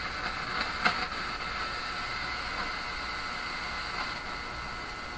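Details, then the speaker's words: Grundig Prima Boy Luxus radio with an intermittent fault; tapping the board gives a sudden crackle over steady static hiss in one sensitive area; suspected cold solder joint, resoldering needed. "well it looks like a general or resoldering is required here because I can't really be sure what it is other than to say it's pretty surely over here"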